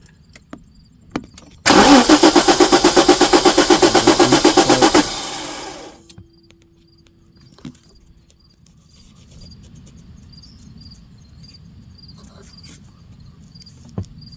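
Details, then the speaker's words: 1994 Jaguar XJ6 with a GM Vortec ignition control module fitted, I-core coil: starter churns about four turns a second for three seconds without firing; cranks but won't start, weak spark, installed coil later found bad. "And let's see if we got flashing primary control now. And I think we got spark too, but it's pretty weak. So hard to turn this ignition."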